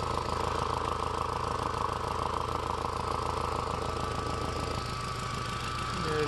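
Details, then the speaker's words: VW/Audi 1.8T at idle, vacuum line disconnected from combi valve, secondary air pump found full of water: fast uneven puffing about four times a second as exhaust chuffs back through a stuck-open secondary air combi valve. "a secondary air pump full of water you can see that that's usually indicative or a sign of a stuck open combi valve i've got the vacuum vacuum line disconnected from the combi valve but you can hear it pulsing"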